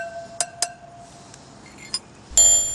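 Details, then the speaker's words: BMW R1100/R1150 motorcycle spoked wheel, spokes tapped: first taps ring clear and sustained, later taps die off short and dull as a spoke is held to imitate a loose one; the dead note of a loose spoke. "That's what a dead spoke sounds like so you know what to listen for."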